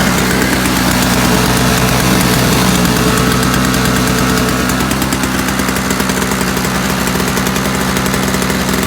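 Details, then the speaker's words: Free roadside-find Toro single-stage two-stroke snowblower, primer bulb missing, electric start likely not working, running on sprayed starting fluid with a little gas in tank: buzzy, uneven chatter; fuel not getting through, likely plugged carb jet suspected. "yes there's some gas in there let's see what I got cuz that actually ran it for a little longer than it should have"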